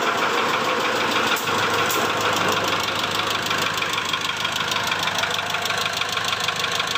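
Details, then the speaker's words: 2008 Mitsubishi Strada Triton GLS diesel at rough idle: crisp tak-tak ticking about two per second from the top of the engine; mechanic suspects valve clearance or most likely an injector, checking injectors one by one; cause not yet confirmed. "untuk suaranya kalau Papi yang denger sih suaranya agak kasar ya di sini bunyinya tak tak tak tak tak tak tak tak tak tak tak seperti itu ya teman"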